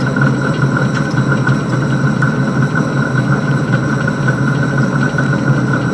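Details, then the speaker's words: Van Wert coal stoker under a Gentleman Janitor JG5 boiler after six days burning pea anthracite: steady low drone with constant mid-pitched whine and uneven rattle; stoker gearbox noisy. "here's some uh video of the stoker running and the not very good noise that the gearbox is making but it'll uh it'll it'll keep going for another month like that I hope"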